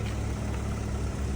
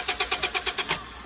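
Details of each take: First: Ford Fusion, 48,955 miles, started on its own without a jump: low, even, quiet idle hum with steady beat and no ticks, knocks or misses; normal idle. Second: Said he just had it running. Doesn't sound like she's getting any fuel.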